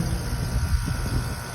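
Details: Goodman AC unit about three or four years old, not cooling, capacitor suspected bad: steady low hum of the condenser compressor running, with no clicking or strain.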